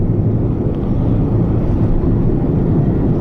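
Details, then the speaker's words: 2006 Chevrolet Trailblazer cruising in third gear after its stuck transmission began shifting: a steady, deep drone; the owner suspects a worn wheel bearing, not confirmed. "there's second gear there's third needs a wheel bearing i can tell that if you can hear that or not"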